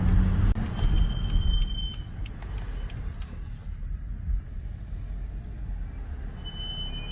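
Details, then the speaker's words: BMW F32 M435i while driving on its old brakes, before a Brembo M Performance big brake kit install: a thin, steady high squeal over road rumble on every brake application, at any speed; cause not confirmed; brake squeal. "I'm going to break in here maybe you can hear now hear that on every brake it doesn't matter the speed"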